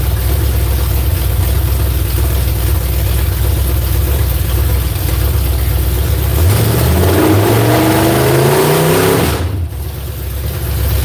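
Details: V8 on a newly fitted ignition box lopes loudly at idle, then climbs slowly and heavily for about three seconds before dropping back, revving lazily. Flames were seen from one side when run up; timing is suspected to be off, not confirmed.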